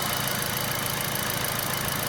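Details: All New Picanto after an alternator swap (Mire brand) for low charging, with a new battery; charging tests about 14 V and reads normal when revved to 2500 rpm. A steady, even idle with a constant hum and light hiss, no knocks or dips: normal idle.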